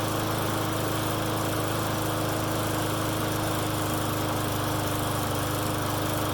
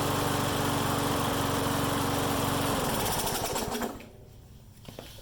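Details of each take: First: Friend's lawn mower that starts and dies, running with air filter on; runs steadily at fast pitch but uneven and unsettled, better than before, a remaining vacuum leak is suspected. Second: Mower that started then died, after carb work and draining bad fuel and refilling with fresh gas, governor adjusted: single cylinder putts at a steady even beat, no surging; runs properly.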